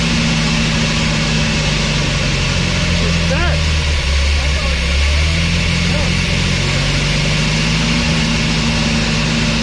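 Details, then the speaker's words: 1991 Chevy S10 pickup that sat in a junkyard over a decade, now with fresh gas and a new fuel filter, after tapping on the throttle-body injector: low, uneven idle that surges and dips, barely keeping itself running. Rough running. "that Prett good so now you got some fresh gas in it and uh it's kind of running"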